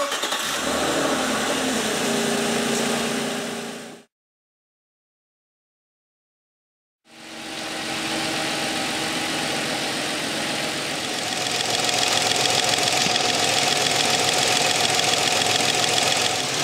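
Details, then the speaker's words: 1997 Nissan Maxima petrol engine idling, heard through a screwdriver held on the fuel injector body: a steady, even clicking of about three to four a second as the injector fires on and off, showing normal fuel delivery into the cylinder. "we'll place our ear next to the other end and we should hear the injector fire on fire off and when you hear the clicking noise that just means that fuel is being sprayed into the cylinder"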